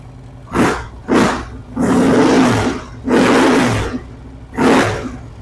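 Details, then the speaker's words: Harley-Davidson Street Glide V-twin on first start after installing a new Screamin' Eagle compensator and reassembling the primary case (derby cover loosely on): deep, even bursts with no knock or rattle; starting, charging and clutch all good. "all right I'm tickled everything's in good shape starting good charging good clutch seems to work fine"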